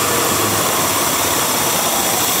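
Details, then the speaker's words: Running engine with an intake air hose pulled out to simulate a large vacuum leak: steady airy hiss over an uneven, labouring idle near stalling; unmetered air beyond what the computer can compensate, fully removed it kills the engine. "you can also hear the hiss of the leak - and if I pull this completely out I can even kill the engine"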